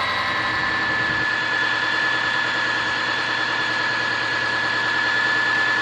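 Steady idle with a rapid, slightly irregular tapping about three per second and a thin high ring on top; a knock from inside the engine.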